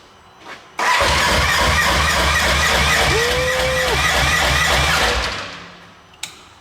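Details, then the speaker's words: Polaris RS1 race car build, first start attempt after the fuel system was drained empty: about four seconds of fast, even starter cranking that never catches; cranking with no start from an empty fuel system. "it cranks yeah might take a second to get the fuel cycle through yeah she was empty empty we drained it"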